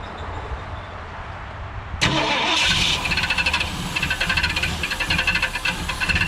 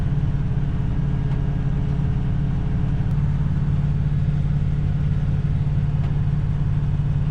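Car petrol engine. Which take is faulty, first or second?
first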